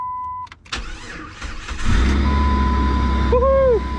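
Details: 2004 Jeep Grand Cherokee 4.0, automatic, with front-left accident damage, after replacing a blown PCM battery fuse that caused a crank-no-start: chime, a short crank, then it catches at once into a steady, even idle; normal engine start.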